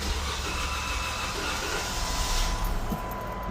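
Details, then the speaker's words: Jeep Wrangler that reportedly starts then cuts off: cranking rumble nearly catches for a moment, then dies without running; fuel pump suspected, cause unconfirmed. "Oh, it wanted to start. Sound like a fuel pump."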